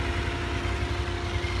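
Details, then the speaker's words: Honda VFR 750 after clutch basket repair (clutch-side knock that worsened when hot): warm idle at 90°C, about 1500 rpm, with an even beat and light camshaft and maybe spring chatter; the knock is gone, healthy idle. "слушаем Как работает слышно как-то катят распредвалы и может быть немножко пружины"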